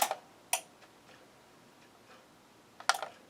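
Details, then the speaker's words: RCA RT2500 stereo receiver after repair of a faulty startup circuit, powered at 13.8 volts: sharp, bright speaker protection relay clicks in a quiet room as it powers up and connects the speakers. "Well, it looks like we got uh looks like she started up. I hear the relay clicking."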